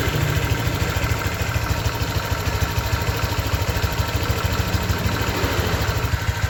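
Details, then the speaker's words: 2023 Honda Vario 125 new scooter at just over 1,000 km, idling: smooth, quick, even putter about three beats a second, no ticking or rattles; owner reckons it runs smoother than at 500 km, crediting correct break-in. Normal idle. "Kalau prediksi saya ini di KM 1000 lebih ini mesinnya tambah halus guys ya."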